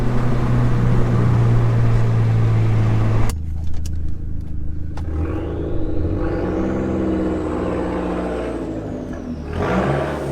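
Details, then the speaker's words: Dodge SRT4 turbo with new Vibrant Ultra Quiet resonator, driving around 3,000–3,500 rpm, cabin mic: pulls up then settles to smooth low even drone, no rattle; same volume as previous muffler without its rattle, healthy. "I think it sounds great. It is almost the exact same volume and sound as the previous muffler was, just without the rattle, which was really the whole purpose of this."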